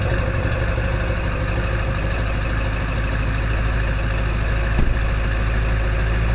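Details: Early 1999 Ford F-250 diesel cold-starting at 34°F, idling with the exhaust back pressure valve (EBPV) closed and making a loud whistling; steady, even diesel clatter over a deep constant drone, no misses or knocks; normal cold idle.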